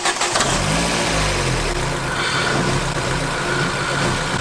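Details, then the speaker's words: Ford Focus ST170 bought cheap unseen: after the squashed crankcase hose was fixed, the idle still won't settle, revs surging up and sagging back in slow waves; hunting idle. "it's fixed right let's go on the road trip no it's not fixed it's still huning"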